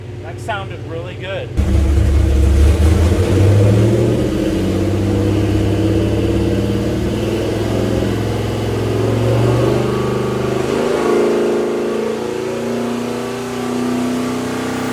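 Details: Big-block Mopar 483 stroker for a Dodge Power Wagon, revving after a new distributor and a drilled, pinned intermediate shaft: a deep V8 note holds smooth and even with no misses, knocks or hesitation. Timing is now as stable at 4000 rpm as at 1000.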